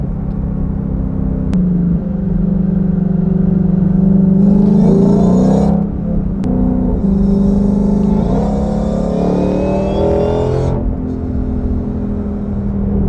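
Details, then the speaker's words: 2020 Ford GT500, 760 hp, automatic, after Foster's supercharger whine mod install, under hard acceleration: thin supercharger whine climbs with engine speed over deep exhaust rumble; whine now audible under load, healthy. "I can hear the whine now. Yeah, it definitely wakes the car up now. I can hear the whine under load."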